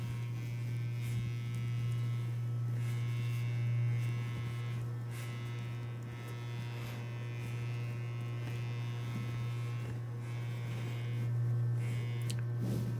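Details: 1977 CTS guitar speaker playing a test tone, frame knocked oval, likely from a shipping impact, so the voice coil is misaligned; pressing the frame stops it. Faint raspy buzz on the tone: voice coil rub.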